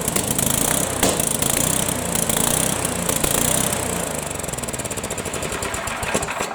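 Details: Tecumseh horizontal-shaft small engine after governor adjustment: buzzes along at a fairly steady speed with a crisp rapid exhaust beat; runs and holds speed normally.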